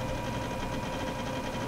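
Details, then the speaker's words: Old Dell with a Maxtor mechanical hard drive, booting Windows 2000: steady high whine with a fast fluttering rattle from the spinning drive; a noisy, clanky, worn-sounding old disk. "even though mechanical hard drives are an old technology that are that's on its way out theyve come a long way from the noisy rattly clanky days like this uh"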